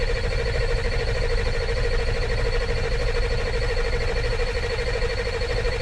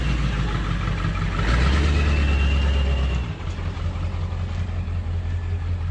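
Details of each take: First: 2000 Ford F450 diesel dump truck cranking after IPR valve replacement for lost high-pressure oil: long steady starter grind with a whining tone, no firing, some smoke and fuel smell. Later found a missing rubber seal in the fuel bowl. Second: 2000 Ford F450 diesel dump truck after replacing a missing fuel rubber seal: deep steady diesel rumble that swells briefly on a rev, then settles into an even, smooth run; engine sounds healthy before a transmission test drive.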